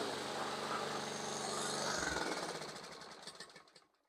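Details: Toro Recycler mower with Briggs & Stratton engine after carb cleaning, a valve check (about 0.007–0.009 in) and tightening a loose spark plug: fires and runs evenly for a couple of seconds, then shuts off and coasts down smoothly. Runs properly.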